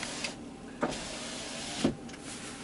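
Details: 2003 Chevy Silverado 1500HD with front passenger door accessory faults, window tested during diagnosis: a short, even motor hum with a soft thump at each end of travel; the window motor and regulator work normally.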